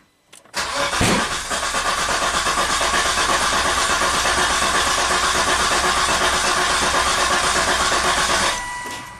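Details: 2004 Volvo XC90 long crank/stall: starter spins steadily about eight seconds and never catches, ECM-5200 code setting while cranking, injector pulse missing and crankshaft position sensor waveform very low amplitude; root cause traced through a TSB.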